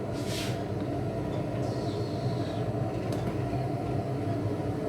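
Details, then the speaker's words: Wall-mounted gas boiler, 40 kW, running in heating mode at near full power: a steady, even low burner roar with no whistle or squeal. Normal operation; the gas meter squeaks more than the boiler. "последние вот все на полной мощности в принципе звук нормальный даже вот счетчик скрипит больше чем котел на полной мощности"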